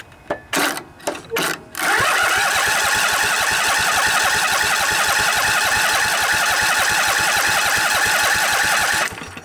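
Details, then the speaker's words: Briggs & Stratton Intek OHV twin (20-22 hp, model 40777) in a revived junkyard Husqvarna riding mower, new carburetor, fuel pump feeding from tank, light choke: three short cranking bursts while the empty float bowl fills, then it catches and runs steadily; slow start. "it's got to fill up the float Bowl remember so take a little while"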